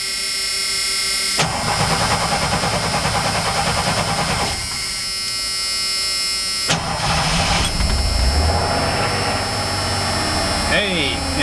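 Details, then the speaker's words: 1991 Ford F150 after front 19-gallon fuel tank swap with clean tank, new fuel pump and filter: engine cranks briefly after priming fuel pressure, catches quickly and settles into steady idle; normal start, good fuel delivery. "Give it a second to get pressure up let's see if it starts up"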